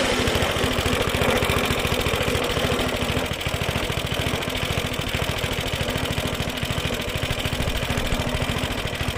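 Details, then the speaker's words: Suffolk Punch mower, small single-cylinder, after fixing the locked drive that would not disengage: fires evenly at a steady beat under light cutting load, no knocks or misses; runs, cuts, drive disengages as it should. "All runs, cuts, drive works, disengages exactly as it should do. Right, that's a little Suffock punch now, all running exactly how it should do."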